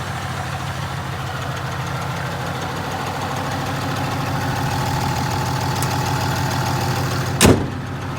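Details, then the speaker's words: 2015 Ram 2500 6.7 Cummins with G56 six-speed manual, 76,387 miles, idling: steady diesel clatter with a loose fast rattle and a sharp clunk, attributed to the clutch and worse with the clutch pedal pressed. "i'll start the truck up once you hear it yeah 76 387 is what it's got on it right now you can hear that rattling from the building this clutch especially when you push the clutch in"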